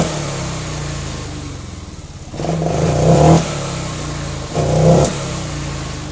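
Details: Honda Vario 125/150 fuel-injected scooter: uneven idle, two short throttle blips rise roughly and drop back, stumbling and not pulling; hesitation when throttled, suspected dirty throttle body or air filter, unconfirmed.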